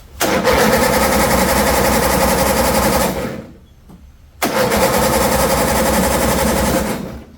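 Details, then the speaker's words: 2007 John Deere zero-turn after carburetor and head-gasket repair. Two roughly 3-second cranking bursts at about four beats a second never catch; spark suspected: crank no start. "still rubbing. This seems like a spark issue to me, boys. What it seems like cuz I know I'm getting fuel."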